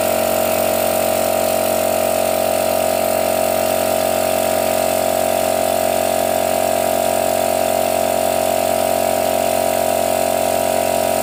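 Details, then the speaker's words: Used portable direct-drive air compressor, cover missing, refilling after air was bled off: loud constant motor drone, steady tone, fast even pulsing, no knocking or grinding; pumping normally and the pressure switch cycles correctly. "Jadi otomatis ini masih normal Ketika angin penuh otomatis mati Ketika angin dibuang atau dipakai kembali turun kembali on sudah bisa dipastikan otomatis ini masih normal"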